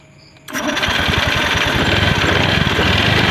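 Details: Honda Scoopy FI after replacing a weak CKP sensor and fixing dirty fuel pump and injector: engine catches within half a second on the electric starter and settles into a steady, fast idle; normal start and idle.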